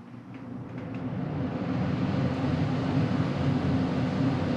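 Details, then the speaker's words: Furnace blower motor after lubrication and reassembly; earlier start-up noise now gone: smooth, low airy rush builds over a few seconds and holds steady with no squeal or rattle; normal blower running. "working great no problem everything is good so that's a job well done"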